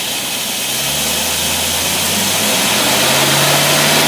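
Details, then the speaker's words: V8 engine on test dyno with rebuilt Carter AFB carburetor, at idle: steady, even low hum, smooth idle with no misses or stumbles; carburetor running normally. "alright this is Idol as you can see we're what we're looking at all of our measurements"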